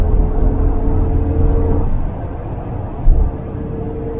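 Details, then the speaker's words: 1988 Volvo 244 (240) on test drive after tightening front wheel bearings and replacing transmission mount: steady mid-pitched rear axle whine over road rumble at cruising speed, around 80 km/h, fades then returns; maybe slightly better, cause not found. "It's still a whine. I was wondering if it would make a difference to the whine on the back end."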